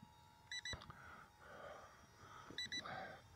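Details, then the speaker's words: LSRC XD1 Pro mini drone (under 250 g) in flight: two pairs of quick high-pitched double beeps about two seconds apart from the controller, the telemetry low-battery warning; the drone lands itself when the battery expires. "here that beeping that's the Telemetry warning we have Telemetry in this of low battery and that's good too it tells you when you're getting your battery's getting low"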